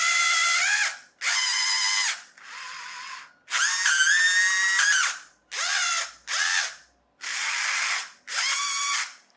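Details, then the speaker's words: Chicco Jimmy Thunder RC car converted to hobby grade: short bursts of high motor whine with fast ratcheting each time the gearbox is loaded; gears slip, owner suspects something coming out of alignment, cause not found. "is slipping in there and I cannot figure out what it's almost as if that's coming out of alignment somehow"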